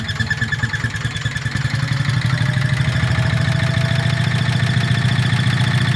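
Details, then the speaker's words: Petter stationary single-cylinder engine, warm (run 10–15 minutes earlier), carburettor recently swapped for a slightly bigger one but still too small; a bit smoky: lumpy, irregular hunting beat that never settles, coughing, starved by the undersized carburettor. "as typical this engine normally runs absolutely beautiful and it's completely Flawless but of course when you want it to run nicely while you're videoing it it plays up you hear it coughing"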